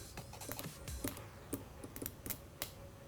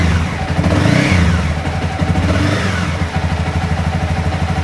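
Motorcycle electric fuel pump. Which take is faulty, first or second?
first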